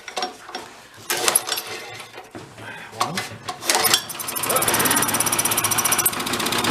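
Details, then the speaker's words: Vintage Coleman Powermate 1500W generator, apparently sat a while, first pull-start with air cleaner off: several rough pulls and clatter, then catches and settles into a fast, even putter; sounds decent, normal running. "nice sounds pretty decent looks ugly it sounds good that's all I care about"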